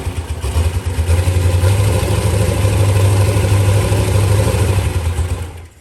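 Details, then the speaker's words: LS V8 swapped Mustang, first startup on a new fuel map still being tuned: deep lumpy idle with an uneven stumbling beat that never settles, then dies away; a slight misfire at idle. "It sounds great. I had a little bit of misfire thing to it, but he's going to fix that up real quick."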